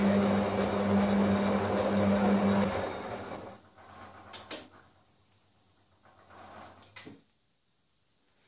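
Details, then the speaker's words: Electra 17054E washing machine (rebranded Hotpoint, late 1990s) on a non-fast-wash programme: steady motor hum and water noise, then everything cuts dead as the RCD trips; heater element leaking to earth. "ah did you hear that did you hear that that's the power gone off yeah the fridge is now um light has gone out everything's gone dead there"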